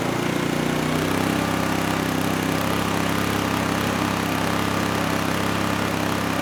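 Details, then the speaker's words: Honeywell HW2000i 2000 W inverter generator, about 20 years old, running under load: steady, even engine drone with constant hum, no misses or knocks; waveform smoothed out under load, runs well. "so yeah it's a pretty good machine I mean considering it's 20 years old and it's doing really as well as it is is saying something"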